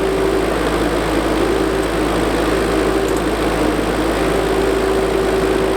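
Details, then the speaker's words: JCB Midi CX backhoe diesel after a fuel filter change and tank flush: a steady, fairly high pump howl over the idle from startup, shown before stepping on the brake; owner suspects a brake or hydrostatic transmission issue, cause unknown. "What you're going to hear is when I start it up, you're going to hear that howling noise of the pump, and watch what happens when I step on the brake."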